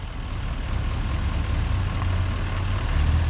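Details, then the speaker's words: Bus with a rebuilt 1.7 air-cooled engine, after a starter that stayed engaged was replaced: steady, low, even thrum with no knocks or rattles. Still needs tuning. Normal running. "Rebuilt the motor. It's running good. Sounds good."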